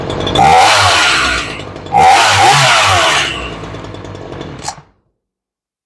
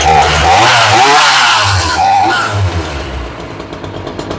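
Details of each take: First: Crisp two-stroke snarl rising cleanly through two throttle blips on a Ryobi 3818 chainsaw after carb repair and high/low mixture adjustment; it starts well and runs healthy after long storage, though idle is slightly low. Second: Ryobi 3818 chainsaw that sat all summer and stalled at idle, after carburetor fuel diaphragm service: the buzzy two-stroke revs high, then sags and hunts unevenly instead of holding idle. Rough idle; the carburetor needs adjusting.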